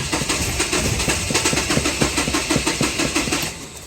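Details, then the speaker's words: Mahindra Xylo diesel with a P0340 fault (no camshaft signal), code cleared before cranking: even cranking beats about three a second for several seconds; rail pressure builds but it never fires and the warning returns; injectors and pump are not at fault. "But இப்போ பாருங்கள், திரும்ப அந்த engine warning indication வந்துருச்சு. So இதனால தான் இந்த வண்டி இப்போ ஸ்டார்ட் ஆக மாட்டேங்குது."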